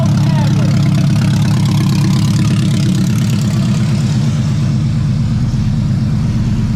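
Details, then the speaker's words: Freshly rebuilt engine in a turbo AWD wagon, primed and fired up, runs a steady, low, even idle rumble with no knocking or ticking; normal idle, everything good. "this thing fired up it ran we primed it all everything is good"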